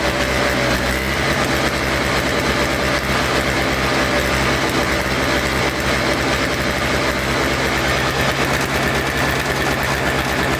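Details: Toro Snow Commander two-stroke snow thrower, after fresh fuel, reconnected fuel line, choke and primes: fast, even buzz with no misses or surges, steady idle; old fuel suspected as main problem.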